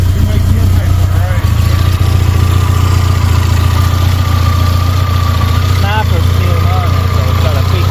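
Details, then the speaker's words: Suzuki Samurai with Holley Sniper EFI conversion after wiring fixes and reset to base settings: low, slightly uneven idle after a longer crank, loud electric fuel pump whining over it; rough idle as EFI is still self-learning. "the starting will get easier when you first start it the driving will get easier it's the computer learning itself it just ain't had time to Lar since we did all this work"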